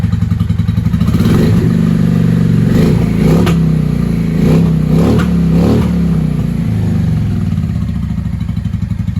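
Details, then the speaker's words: 1995 Honda Shadow VLX 600 (VT600CD) V-twin with open pipes, on an auxiliary fuel supply with a freshly charged battery after an earlier backfire: uneven idle lope, then crisp clean blips; sounds healthy, though the carbs may need syncing. "She sounds healthy."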